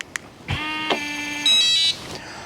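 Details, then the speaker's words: RV door lock after new batteries, key fob unlock: short beep, quick motor whirr and clack as the bolt retracts; unlocks normally. "both of those worked so we know that the key fob will work now with the battery or with the lock that has the new batteries in it"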